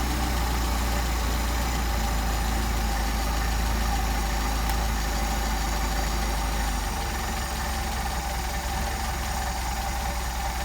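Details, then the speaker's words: Mercedes 190SL with rebuilt Solex carburetors, idle turned down from about 775-800 rpm to 575 and then 425 rpm: very low, slow, even idle holding steady without stumbling, a sign of good carburetor machine work. "575. This is a an indication of the quality of the machine work on the uh carburetors. There we go. We can get this thing to idle 425."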